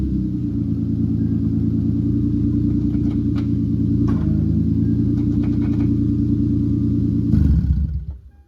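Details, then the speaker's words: After an R154 manual transmission swap, with the 2002–2005 neutral safety switch wires spliced so the car can start, the engine idles smoothly and steadily with an even firing rhythm and no ticks or clunks, then shuts down cleanly: normal idle. "Now you see it runs, and I got everything all good."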